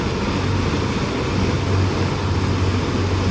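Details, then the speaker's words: Volvo Penta sterndrive Chaparral, dual prop, in a run tank on first load test after repairs including new spark plugs, fuel system and trim unit: deep steady even drone, no knocks, misses or rattles; very quiet and smooth. "it's very quiet it's running very smooth"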